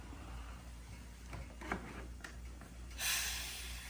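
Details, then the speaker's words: Orion Motor Tech pressure brake bleeder after bleeding all four wheels with new brake lines: short sharp hiss venting about 10 PSI leftover pressure from tank before disconnecting from reservoir; normal. "You hear that little hiss. If you disconnect from the reservoir, it's gonna kind of like shoot out at you. There we go, we release the pressure in the system."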